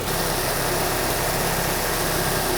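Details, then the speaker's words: 2003 Nissan Sentra SE-R 2.5L after timing chain and water pump replacement, smooth, even idle with a steady low hum and no knocks, ticks or whine; normal idle. "That sounds good. Look how smooth that is. No shaking, no nothing. It's solid. No noise."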